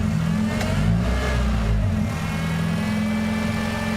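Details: Honda engine idling with the PCV valve connected and its line held sealed: steady, even low idle with no hunting or surging; PCV suspected stuck open, causing a vacuum leak when disconnected.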